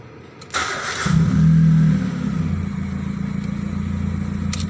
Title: Proton Persona 1.6 exhaust leaks sound